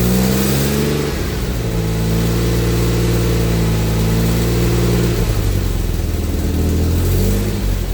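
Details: AJ30 Jaguar / Ford Duratec V6 in a Gilburn Invader on ME360 ECU, a bit cold, starts and revs with a slightly uneven, lumpy note; VVT set to actuate from 4,000 rpm, working on only one bank.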